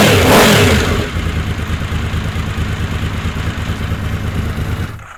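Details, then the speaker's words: Honda VFR750 V4 after carb work (40 jets versus stock 38, with a fuel cut relay): uneven, stumbling running at about three pulses a second that sags and dies because the carb float bowls weren't filled; fuel starvation. "but yeah that was a problem I didn't fill the carbs up all the way so let's try this again from start"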